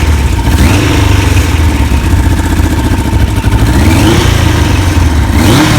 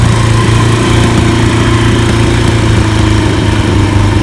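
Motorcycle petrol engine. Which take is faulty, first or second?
first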